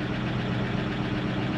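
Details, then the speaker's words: 1995 Range Rover Classic 4.6 V8 after replacing the oil pump gear and priming it with Vaseline to fix zero oil pressure: smooth, even low idle as lifter ticking goes away and quiets; normal idle with oil pressure restored. "whoa look at that finally went away and the lifters got quiet"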